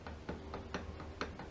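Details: 2020 Suzuki DL/SV 1000 OEM clutch basket at 18,000 miles, rocked by hand: sharp light clicks about four times a second showing bearing clearance gained; worn clutch basket versus tight new one.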